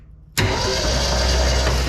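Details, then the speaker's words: 1967 Ford Mustang, sitting since 1986, cranked with the plugs out to build oil pressure: steady, even starter spin that never fires; no spark at the coil, and the points are suspected open or corroded. "Let's go ahead and run 12 volts over to the ignition coil. No sparking. Means either the points are open or more than likely just corroded."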